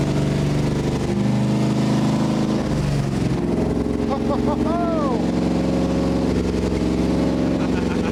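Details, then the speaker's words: Rebuilt junkyard Gen 3 Hemi V8, first start after a Seafoam oil flush: catches and settles into a steady, even idle with smooth revs, oil pressure present, no dead cylinders or odd knocks; healthy. "The most important thing on this one is you fire it up, the thing has oil pressure and nothing's doing anything goofy. Uh, no dead cylinders, you know, there's nothing that's that's sounding funny."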